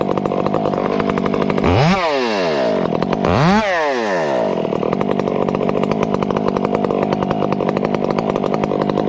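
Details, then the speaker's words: Chainsaw with hand-filed chain cutting small wood at full throttle: high steady scream with two quick rev dips and faint burbling; slight four-stroking, acceptable tune. "a little four stroking is okay friends but steady and small wood is is is unfair to the operator"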